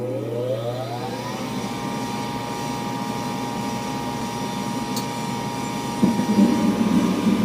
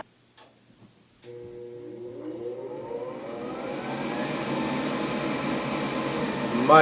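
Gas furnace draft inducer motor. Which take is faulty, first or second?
first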